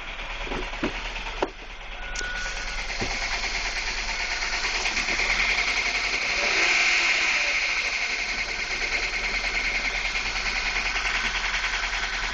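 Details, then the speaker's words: Ford Focus with timing belt and water pump replaced Dec 2012, earlier lean code, used MAF fitted, stalling at lights; now sharp metallic clatter about three raps a second over a thin rough idle, loud knock from engine area, smells rich; cause unknown. "I never sounded this loud before so uh hopefully somebody can hear uh it sounds like it's coming directly from the um engine area somewhere that direction"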